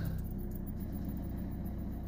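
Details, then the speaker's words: Citroen C4 1.6 HDi diesel after fuel rail pressure sensor replacement for P0192 crank-no-start, codes cleared, DPF warning still present. Steady, even diesel idle with no misses or knocks; normal idle. "so I said the car is all running nicely now and uh we'll get a book back in for the DPF if need be"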